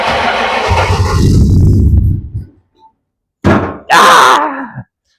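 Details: 1962 Ford Falcon gasser in cold weather after distributor gear replacement: slow, uneven cranking churn for a couple of seconds that never catches; owners think an engine block heater is needed.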